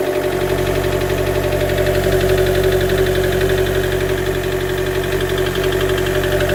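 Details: 2013 Chevy Volt engine with very bad idle, shutting down, poor power above 70 mph, code P0101; plugs and coil pack replaced, no change: loud drone with uneven stumbling pulse about four times a second; rough idle with misfire, cause unknown.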